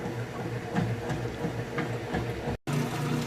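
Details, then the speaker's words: Kenmore washer (matching set with electric dryer) moving from agitation into first drain before rinse, tub in neutral not spinning, drain pump engaged: low steady pump hum with water gurgling as tub empties fast; normal drain pump operation. "Going into the rinse cycle, you can hear it draining that water out nice and fast."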